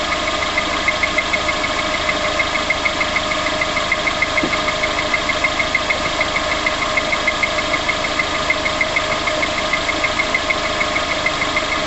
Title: Tapping noise on start up VX19